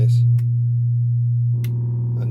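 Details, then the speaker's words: Fender Hot Rod Deluxe valve amp, back off and powered up: steady low fixed-pitch mains hum; substituting capacitance across a smoothing cap cured it, confirming a failed HT filter capacitor needing replacement. "pretty sure it's this these smoothing caps"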